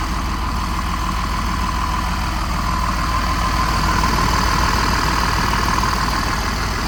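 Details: Diesel pusher RV with Freightliner chassis, warm, oil pressure good: even, steady diesel clatter at constant idle, no misses or knocks; healthy idle.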